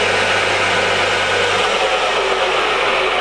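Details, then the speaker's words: Used Scott 6230 x 1000 single-phase lathe, 1 m between centres, spindle in high range at 1255 rpm: constant even whirr, no knocking, grinding or squeal; running normally. "So those are the feeds on it, and I'll take you into the high range. The next one is 460, 755, 1255,"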